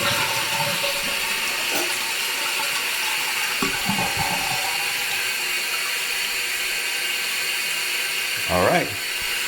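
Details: Toilet tank refilling through a newly installed FluidMaster 400A fill valve, tested with the flush lever: steady, even rush of water with no hissing or sputtering. The replacement valve refills normally.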